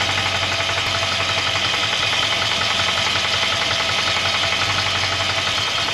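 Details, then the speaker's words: 1963 Jaguar Mk10 with Mopar 440 V8, revived after decades off road, 70–80 psi oil pressure: faint dull knock low in engine tracking rpm, louder near lower crank; pulling plug wires no change, lifter suspected. "Now when I got on, I'm just using a screwdriver, it sounded very clean. It sounded more lower crank area. Maybe it's got a funky lifter."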